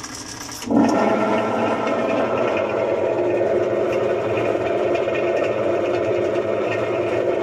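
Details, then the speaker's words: Maytag washer that won't wash, agitator removed: loud, constant rough grinding drone while the transmission shaft barely moves, no agitation rhythm; transmission failure. "hola como pueden ver es mucho el ruido es muy fuerte el ruido y la la garra o la flecha el agitador perdón de la transmisión no son 9 apenas está moviendo un poco"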